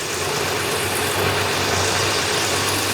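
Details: 1969 Dodge Charger V8, sitting abandoned for many years after a repaint: a steady, even rumble with no misses or stumbles, settled and smooth at idle. No coolant added yet and the fuel pump is not switched on.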